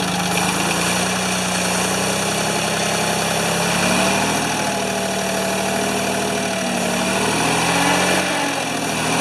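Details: Free Ford 2600 tractor on first start attempts, smoking as it burns oil off, with plug wires popping off. It idles with an uneven, wavering, slightly hunting beat. The owner says fuel delivery is not feeding enough fuel.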